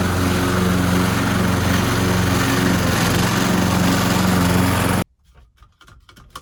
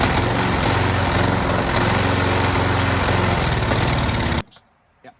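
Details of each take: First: Old petrol lawnmower after cleaning the clogged carburetor jet, likely blocked by debris from a rotting fuel hose or the tank: an even, steady buzz for about five seconds with no sputter, then shut off. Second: Old petrol lawn mower that had sat for years, started with a shot of starting fluid: fires and runs unevenly for about four seconds, then cuts out abruptly; starving for fuel, owner suspects a clog, likely debris in the carburetor.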